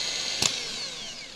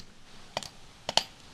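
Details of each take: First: Known-good starter motor for a 1999–2007 GMC/Chevy truck with Vortec 4.8/5.3/6.0 V8, bench-tested by touching the solenoid: sharp clack then high, clean, strong whine winding down smoothly with no grinding; normal starter spin. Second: Starter off a GMT800 Chevy truck with a Vortec V8, bench-tested with jumper leads: three sharp dry clicks and no motor whir; the starter does not spin, and the solenoid is judged bad while the motor is good.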